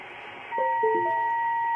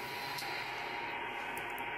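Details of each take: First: Ham radio receiver on 80 meters after the toroid choke is removed and the Anet A6 3D printer's USB cable is plugged back in: a few short blips, then a steady high tone sits constantly; unchoked USB cable radiating interference. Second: Ham radio receiver on 80 meters with a snap-on toroid choke wrapped seven turns around a 3D printer's USB cable: only a soft, even hiss with no buzzing or whine; interference almost completely eliminated.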